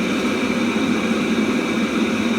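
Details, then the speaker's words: Webasto Thermo Top C auxiliary heater from a BMW E60, bench-run after repair with a bulb in place of the solenoid valve. Steady burner roar with an even fan whine, no sputtering, surging or smoke; running normally. "at once, as you can see and hear, the stove is working like new, no smoke,"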